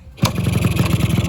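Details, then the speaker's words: Fully rebuilt Yamaha RX100 two-stroke, ready for paint: catches on the first try, then settles into an even, steady idle with regular pops and no misses; normal start and idle. "ขั้นตอนต่อไปก็คือการหรือทำสีครับตอนนี้เครื่องเครื่องก็ติดนิ่งเลยนะครับเนี่ยครับ"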